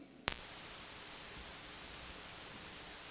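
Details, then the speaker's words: Audio line carrying only a soft, even hiss with no hum or buzz after a brief plug-in click, with an isolation transformer inserted in a ground-loop test setup; clean line, no ground loop hum. "Listen to that. It's quiet. A transformer offers us isolation."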